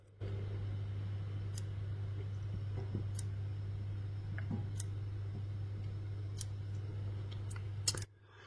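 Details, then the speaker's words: Philips TV (generic Vestel VEM1.1E LA / 17IPS61 board) dead, standby light off: sharp clicks about every 1.6 seconds over a low hum as the power supply fails to start and restarts in a loop; capacitors looked fine. "on entend ouais le claque qui est spécifique au fait que l'alimentation n'arrive pas à se lancer et qu'elle redémarre"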